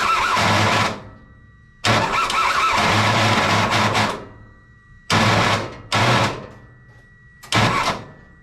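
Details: Kei truck parts-truck revival with replacement starter: repeated cranking bursts with harsh metallic grind over the starter whir, never catching; starter hot, plugs cleaned after feeling wet; suspected rusty flywheel ring gear and missing top starter bolt.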